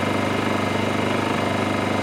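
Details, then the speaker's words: Honda EU2000i inverter generator idling before the table saw is switched on: very quiet, steady even hum with a soft regular pulse and no load changes; running smoothly and healthy. "this is what the engine sounds like very quiet"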